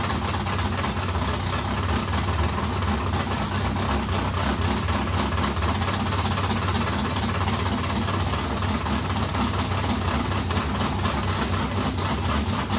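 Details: Race modified V8 first start after months of work, new Edelbrock fuel pump: deep, loud, lumpy but even idle, steady, no misses or knocks; runs well, water pump gasket leaking on passenger side.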